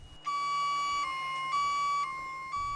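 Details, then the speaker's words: Snorkel TB-series telescopic boom lift (TB37–TB85J) tilt alarm: high piercing two-tone warble alternating about every half second, warning machine is out of level and a tipping hazard exists; retract and lower boom, drive to firm level ground. "a warbling sound, warning that the machine is out of level and a tipping hazard exists."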